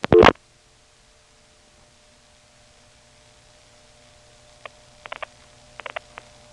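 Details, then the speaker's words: 1977 recording from 75 (Plaza) West End step office to downtown Atlanta step's 5 selector trunk; quiet humming line carrying faint groups of quick dial-pulse clicks; dialing crosstalk on the trunk. "There's some dialing crosstalk on this trunk from the West End step to the downtown steps 5 selector."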